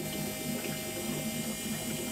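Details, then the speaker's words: Fuel pumps on a turbo 205 VR6 project running with a steady hum and bubbly gurgling as they still draw air through freshly filled lines; need to wait until the air clears. "Ah oui, quand tu entends de l'air comme ça, il faut attendre qu'il y ait plus d'air."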